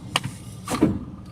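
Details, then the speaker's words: Sharp clack then brief rough grating crunch when shifting into reverse on an idling manual car; reverse uses a sliding-mesh idler pinion, and grinding appears especially when the clutch is worn. "गाड़ी जैसे कि हल्का सा झटका लिया और खर कभी कभी खरखर करके ऐसा आवाज आता है।"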